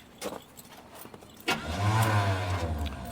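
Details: V8 truck with worn rings, compression about 125 psi on the passenger bank and 100 on the driver's bank, cranked in freezing weather with a compression tester fitted: steady cranking with no cylinder catching; cranking no-start, later blamed on spark plugs.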